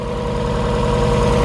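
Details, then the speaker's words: Forged, turbocharged Mazda Miata: even, steady idle at about 1100 rpm with a regular low pulse, no knocks, misses or audible vacuum leaks; runs smooth, though the idle screw and IACV may need changing. "Man, I can't get over how, like, smooth this thing's running."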